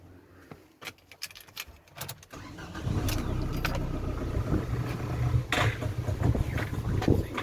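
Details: Ford Transit Connect starting and warming up: after handling clatter the engine catches into an uneven idle with irregular ticking; owner unsure of cause and checking pipes, not confirmed.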